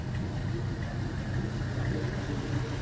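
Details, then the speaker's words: LM7 5.3L iron-block V8, 862 heads, 151k miles: low even idle, no smoke, valve train quiet with no ticking or tapping; normal idle. "Valve train's nice and quiet."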